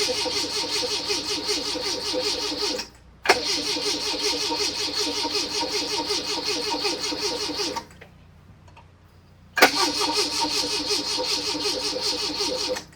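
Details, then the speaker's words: 1981 Fiat X1/9, converted from EFI to dual Weber carburetors, timing set to spec: steady starter chugging in three bursts on a jump pack, one sharp backfire, no catch. Fuel pump runs; a leaky injector/fuel rail was seen. "Nothing yet. did get one backfire. So, I think the timing is good on it."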